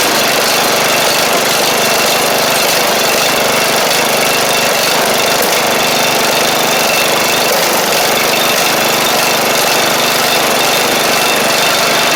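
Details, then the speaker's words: 7-year-old MTD Murray riding mower with 38-inch deck after new deck belt, blades and blade-engage cable, run a couple minutes: steady even engine drone with blades engaged, no surging, knocking or belt squeal; normal running with blades engaged. "two ch I mean I just ran it for a couple minutes there and everything seems all right so that's good"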